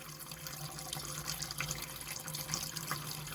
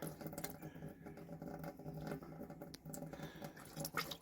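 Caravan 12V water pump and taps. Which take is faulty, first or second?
second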